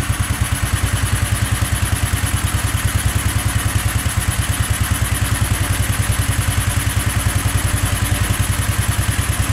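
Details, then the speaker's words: Go-kart small single-cylinder engine in snow, just above freezing, after a hard cold start: fast, even putter at steady idle, cold engine just starting to pick up. "wow wow all right it's picking up a little bit now"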